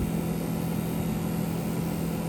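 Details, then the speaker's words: 1985 GMC K15 (1977 cab) heater blower motor, run off jumper cables after cleaning out mouse nests and reassembly: steady, even whirring rush with a low hum, no rattle or scrape; air moving, blower working. "So let's see how healthy this thing sounds. I mean, I've heard worse. Let's see if it's actually blowing anything inside. I feel air moving right here."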